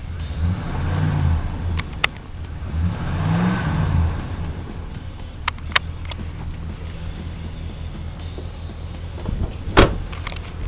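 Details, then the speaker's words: Chevrolet Caprice with Holley fuel pump, Power Shot air cleaner, electric choke and a cheap muffler: two smooth throttle blips with a low, muted exhaust note, pretty quiet with no squeaking; owner thinks a stuck PCV valve sometimes clicks. "pretty quiet it ain't making no squeaking sound"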